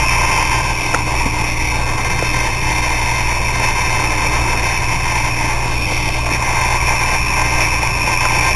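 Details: Hard drive from school whose heads were stuck, knocked to make it spin up: constant rough grinding with a thin steady whine; bad bearings suspected, drive likely dead.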